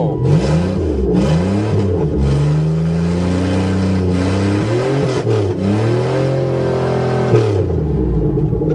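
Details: Buick Regal after repair, corrosion scraped from a plate to restore the ground connection: engine catches cleanly, revs rise and fall smoothly and settle to an even idle; normal start and rev.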